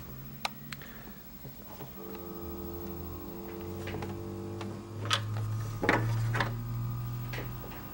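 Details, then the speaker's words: Marco CP 690E eye-chart projector, dead: no light and no response to the remote, only a low steady hum with a few clicks. A failed C4 capacitor on the circuit board, fixed by re-soldering a replacement. "it just sort of sits there in hums so um the last time this happened I'm going to turn this off the last time this happened to a chart actually in the adjacent exam room at Kaiser rest and was a capacitor burned out"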